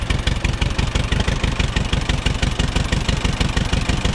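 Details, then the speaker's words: Auction-bought Allis-Chalmers WD-45 gas-engine tractor: steady, even low putter at about three beats a second with no misses or knocks. Normal running. "burbles wave actually runs pretty good you can't hear a whole lot"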